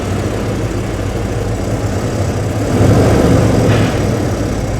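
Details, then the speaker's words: 1993 Ford F-150 on its third engine in two years, idling just after start-up while still warming; rough low idle worst on cold starts, fluctuating when warm: uneven lumpy stumble about four times a second with a surge; misfire at idle. "Okay, fire it up, dude. I got a misfire."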